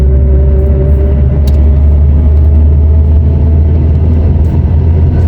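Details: Nissan Primera P11 running, in gear: steady whirring hum over engine rumble on throttle that stops when clutch pedal is pressed; owner suspects gearbox input shaft (direct drive) bearing, gearbox repair.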